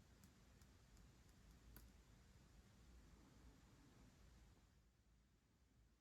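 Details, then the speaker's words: Kemper Power Kabinet (IcePower 300AS1 amp module), powered off; faint uneven ticking about three per second over a low hum, then fading; first click near 13 V, double near 15 V on repower; oscillation near an optocoupler suspected, unconfirmed. "Like that first click happens around 13 volts, and then the double click that follows happens just before it gets to 15."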